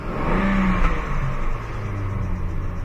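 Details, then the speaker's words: 2008 Chevrolet Trailblazer after throttle body replacement for P0121 TPS/throttle performance code and reduced power: revs cleanly and idles steadily, where before it fell on its face and wouldn't rev past 2000 rpm; a squeaky belt noted. "it's idling good now before it was falling on its face it wouldn't rev past two grand"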